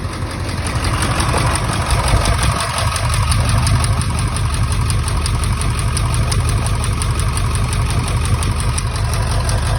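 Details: 1999 Ford F-350 7.3 Powerstroke diesel: heavy, lumpy idle with an uneven low thump; one injector shows no oil when unplugged during troubleshooting, a dead cylinder from a failed injector.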